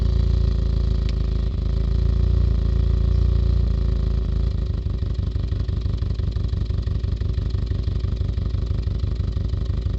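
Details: Idling petrol engine with an uneven, lumpy beat of about four pulses a second: a misfire because one fuel injector stopped atomizing properly and delivers 20% less fuel than the others.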